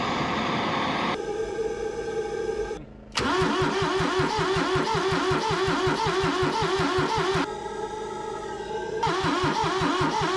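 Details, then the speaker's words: Kubota B6100 tractor, three-cylinder diesel, long non-running, cold next morning on a freshly charged battery: starter churns in bursts of about two and a half turns a second and never catches; owner suspects low compression. "I have a sinking suspicion that what's happening is there's just low compression and it's just not firing."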